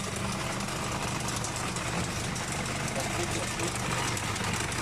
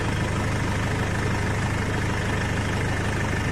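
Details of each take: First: Nissan Navara diesel idling: busy metallic rattle over the clatter, loud worn slack timing chain; chain could jump if driven, replacement advised. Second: Nissan Navara diesel pickup with about 430,000 km, after timing chain replacement, idles with a steady even low rumble and no chain rattle or slapping; normal idle.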